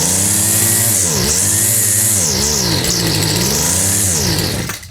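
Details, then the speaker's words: Craftsman two-stroke line trimmer, customer added extra oil to fuel, with fuel poured into the carburetor: buzzes strongly, revs surging, kicks back, then dies when primed fuel runs out; carburetor suspected, not confirmed. "yeah she does kick back a little bit all right it sounded strong but we're pouring fuel in will it be enough to suck on this carburetor properly"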